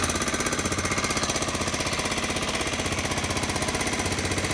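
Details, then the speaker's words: Honda FourTrax 300 ATV, just started on choke, idle turned down, smoking; fast, even ticking about four a second over rough single-cylinder idle, suspected intake valve or slapping part under top cover, unconfirmed; top-end ticking. "It's a little noisy. Smoking in. Let's turn the idle down. Now that it's down, it kind of sounds like it could be the intake valve."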